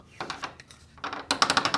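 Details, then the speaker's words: Garage door before fitting roller stem sleeves: sharp, high-pitched metallic rattling in quick bursts from the roller stem hitting bare metal inside the hinge tunnel. The sleeve muffles it. "now that is the metal to metal from the roller stem onto the hinge tunnel so that is pretty much making the racket"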